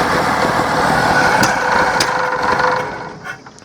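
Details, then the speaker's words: Nissan Patrol G60 (J60) that sat for years as front-yard lawn ornament, first start after revival attempt with extra fuel: catches and runs unevenly with a wavering, stumbling beat, then sags and fades; rough running, cause not confirmed. "Not a very good runner, but it is a runner."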